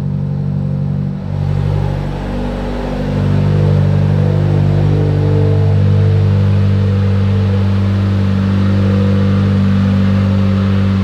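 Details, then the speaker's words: Mitsubishi Evo X, abandoned car rebuild, first start after work: deep smooth even drone with one rev blip, no ticking or knocking; sounds healthy, no big leaks after about 10 minutes running, though radiator fans not turning on. "damn she sounds good not seeing any leaks either"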